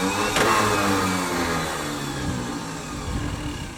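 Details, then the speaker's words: 1966 Ford F500 truck that sat in a barn for 20 years, on its first test with a new starter, ignition relay and coil, no gas in it and starter fluid sprayed in: a quick whirring spin that winds down without turning the engine; the starter is freewheeling and not engaging. "that's more than what it did last time what is that though that's the starter not engaging oh okay hit it again well I guess we're going to take the starter back off"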